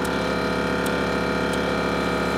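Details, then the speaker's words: Kaivac No-Touch Cleaning system chemical injection system during troubleshooting, suction checked at the line end: steady motor hum with an even pulsing beat, no stutter; injector drawing suction normally. "now we've got suction here you can hear that"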